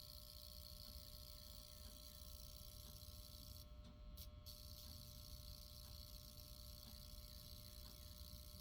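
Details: APC Smart UPS 1000: quiet steady hum louder than normal, owner suspects a delaminated transformer, plus a faint buzz ticking about once a second of unknown source, seemingly toward the rear away from the capacitor and transformer.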